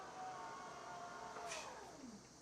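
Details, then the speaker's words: 2019–2021 Toyota RAV4 power liftgate after replacing the powered hatch struts (68910-42060/68920-42020): a steady motor hum dropping in pitch near the end of travel, slightly louder than OEM and really fast; working normally. "A little bit louder than the RAV 4 OEM ones, but it did work."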